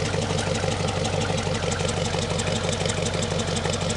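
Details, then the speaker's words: 1969 Chevrolet Impala 327 V8 after carburetor rebuild, replacing a faulty accelerator pump that caused hard starting and poor throttle response: deep, even burble with a steady loping pulse and no misses or knocks; normal idle. "Put it back in it. Listen to that thing purr now."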